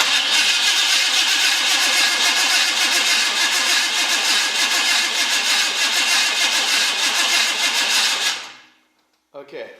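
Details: 1981 Oldsmobile Cutlass Supreme, small-block swapped, with new headers, battery cables and alternator: even starter whirring at about three and a half turns per second for eight seconds, engine never catches; cranks, no start. Owner suspects not enough fuel.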